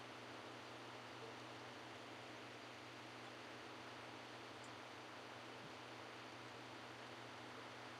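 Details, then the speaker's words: Arcade/console board, after caps were redone and two different sound boards tried: game sound is very quiet under a steady, even static hiss; faint or failing audio path, cause unclear. "I actually do hear the game sound. There's just static over it and it's really quiet."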